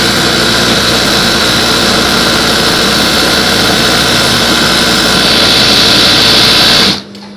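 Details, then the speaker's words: Newly assembled sewing machine, stitch spacing set very tight, one fabric layer: fast even high-pitched whir running steadily then stopping cleanly, no knocking or catching; normal sewing. "Ini spasinya rapat banget. Dan ini satu lembar ya."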